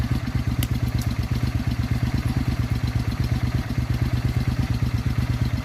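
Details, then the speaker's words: Suzuki Intruder 800 V-twin idling after spark plug swap: deep, even thumping pulse, much smoother, no more hiccups, popping, backfiring or misfiring. "Well, I think it is much smoother. There's no more hiccups, no more popping noises, no more backfiring or misfiring."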